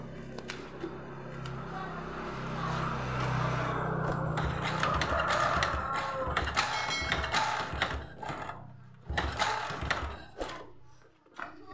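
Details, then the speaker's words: Old Honda Supra X (AC ignition) brought in dead, owner says it often fouls spark plugs; with ignition on, repeated kick-starts give clunks and brief spins but it never fires. No-start; plug later found black and crusted, suspected weakening stator coil. "Oke, tidak mau hidup. Kita cek businya dulu teman-teman."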